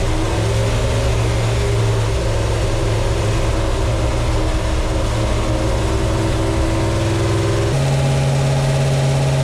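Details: 1972 Plymouth Satellite 318 V8 with a new flat-tappet cam and zinc-added oil, idling while warming to temperature: steady deep drone holding even, then stepping up to a slightly faster idle; smooth, healthy running.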